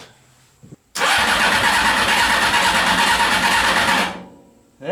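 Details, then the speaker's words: CBR600 engine in reverse trike project, switch wires jumped, fuel pump working only intermittently from wiring faults; three seconds of cranking with weak ragged firing fading without catching, later ran with starter fluid and choke. "it's a little weak but it's something I'm curious if this will kick over with some starter fluid just a little bit"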